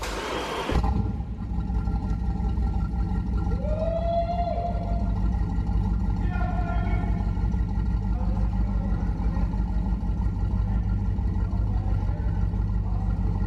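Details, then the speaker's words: Flooded, wrecked 2014 Super Aéronautique 230 inboard surf boat after engine flushes, running mid-rebuild with water supplied through a reverse plunger. Steady, even low idle rumble with no knocks or misses; runs smoothly. "all right let's go jump down real quick show you what's going on down there oh she sounds so good"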